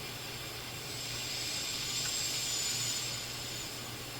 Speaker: Even though we're just listening to noise between stations, certainly hear the bass effect. Volume. Okay, no question. On AM, this thing sounds just fine.